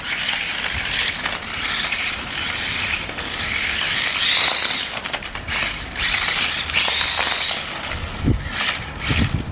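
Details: Restored 20-year-old Tamiya M-03L RC Mini Cooper, 2003 model, first proper drive test on tarmac after restoration, tyres struggling for grip; high whirring gear buzz rising and falling with throttle, no grinding, normal running.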